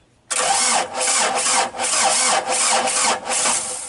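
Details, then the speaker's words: Mazda B2500 that sat unused, started on a dead battery to find an oil leak: loud, uneven cranking with surging chuffs for several seconds before catching, a hard start after storage; oil is seen spitting from the leak. "Alright, so because the vehicle hasn't been running, you're gonna get that hard start to the build compression."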